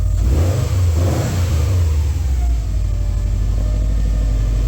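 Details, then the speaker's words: Subaru STI partway through a Cobb SF intake install: light throttle blips swell smoothly and drop back to a steady, even idle with a deep, audible intake note; sounds healthy. "Alrighty, well, we're partway on. Everything sounds fine. Just a little rev, just a little one. Ooh, you can hear it."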